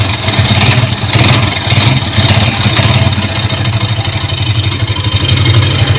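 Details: Honda motorcycle at idle: fast, rough metallic ticking like loose tappets but deeper; the cause is a broken weld on the flywheel magnet rotor, not the tappets.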